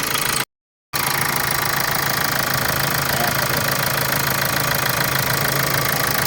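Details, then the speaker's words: 2014 Hyundai Santa Fe CRDI diesel after its timing chain components were replaced: a steady, even idle with soft regular clatter and no chain rattle or knock. The knocking is gone and this is normal common-rail diesel running. "So normal na yung andar niya. Hindi na siya malagatak dito. So yung tunog na yan, normal na lang yan dahil CRDI siya tapos diesel."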